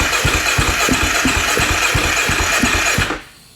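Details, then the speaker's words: 2012 KTM 500 EXC with a messy wiring harness, new harness not yet ordered: after pressing the starter button the single cylinder fires and thumps at fast idle about three seconds, then cuts out abruptly; owner suspects some wires still need power. "I hit this which is the starter button so I mean it doesn't continue to run but maybe maybe I need to hook up some more powers to some wires"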